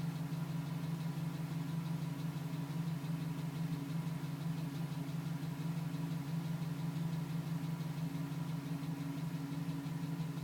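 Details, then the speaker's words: 2010 GMC Sierra V8 with 2000 miles, cold start idle at about 4 minutes: light, even tapping about three per second under the drone; fades at 5 minutes 42 seconds once warm; owner suspects piston slap, unconfirmed. "Still tapping at 4 minutes."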